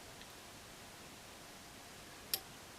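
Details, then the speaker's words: 12 V relay driven by a two-stage BC547 NPN amplifier from a negative input voltage set by a 47K potentiometer: one crisp click as the relay drops out, deactivated at about minus 16.4 V; normal relay click on release. "now you hear the click do that again now the relay is deactivated"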